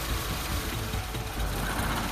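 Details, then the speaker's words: Honda Civic FD 1.8 petrol at idle during a cylinder balance test: the coil plug is pulled and the idle turns lumpy and uneven as that cylinder drops out, showing it was firing normally. The car came in running rough, and the fault was found at the fuel injector. "ถ้าชักปลั๊กออกแล้วไปทำอย่างนี้คือทำงานปกติ"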